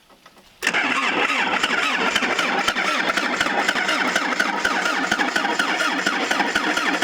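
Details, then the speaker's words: 1977 Toyota Celica GT parked about 20 years, plugs pulled and oil added to cylinders, no gas in it yet: fast, even starter churn for six seconds without firing; cranks, no start. "Well, it cranks. That's a good sign. Now I can add some gas and see if it'll fire up."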